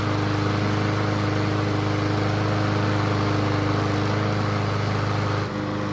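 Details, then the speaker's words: Yard Machines mower restarted; owner guesses a remaining carb blockage restricts fuel at startup, holding engine speed slow until vacuum overcomes it. Small single-cylinder runs at a steady, somewhat labored pace: slow running after starting, cause unconfirmed. "instead I think there's still some sort of a blockage in the carb that's keeping the fuel flow from being where it needs to be at startup this is then keeping the engine speed slow until there's enough vacuum to help overcome the blockage"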